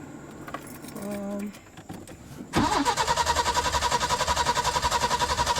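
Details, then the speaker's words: 1986 Peugeot 505 V6 with months-long intermittent no-start, owner suspects a wiring fault: starter turns over in steady pulses, about three and a half a second, engine never catches. Cranks but no start, cause unknown. "Okay, the issue is still there, obviously."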